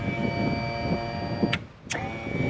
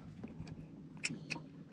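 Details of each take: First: Outboard power trim/tilt unit after electric motor replacement: an even, steady electric motor whine that stops briefly and restarts cleanly with no grinding or strain; the new trim motor runs normally. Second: Outboard trim/tilt unit, engine trimmed up, power confirmed: sharp solenoid clicks under the cowling with each switch press but no motor whir; trim motor dead, connections possible but motor failure suspected, motor being replaced.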